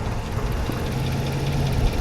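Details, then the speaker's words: Ram 1500 Hemi V8 with 325,000 miles: a low, even idle with a steady rumble and no tick or knock. The noise heard earlier is gone. Normal idle. "She is purring like a kitten, and that noise that I heard earlier, I don't hear it anymore."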